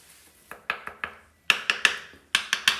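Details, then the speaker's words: Tap test all around a shower drain bedded in thinset. Crisp, bright taps in quick clusters with no hollow ring anywhere, so there is no flex when stepped on. The drain is solidly bedded. "All the way around, so we know whenever the customer steps on it, it's not going to have any flexion up or down. That's what you want."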